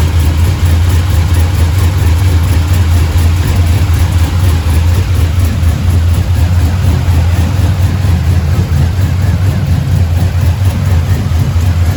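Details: Truck with 6.0 LS built into a 6.2 with TSP cam, fresh motor, cold start after water pump replacement, warming toward 210: loud deep V8 idle with steady choppy lope, no knocks or ticks; normal idle.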